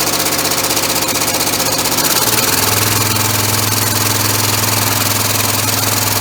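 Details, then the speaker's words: Homebuilt 3-cylinder orbital compressed-air engine with single-shaft push-pull valve, no balance wheel yet: steady rhythmic slapping about 2.5 per second from slippers not yet under pressure; should stop once pressure is applied. "it's a little bit noisy because of the silver is lapping yet but once it gets pressure put to it then that'll stop that slapping noise and it shouldn't be just too noisy then either"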